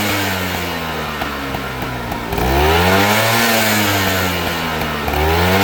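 Raspy two-stroke revs up and down with a hollow metallic rattle riding on the note, typical of a worn piston slapping in its bore.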